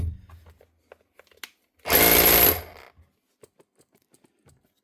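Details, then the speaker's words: Customer's hammer drill in for repair, needing a new chuck and with a slight oil leak: a short burst of fast, even hammering with a bright motor buzz that starts and stops cleanly; the hammer action works normally. "Right, she's working. And she is hammering me right on the top there."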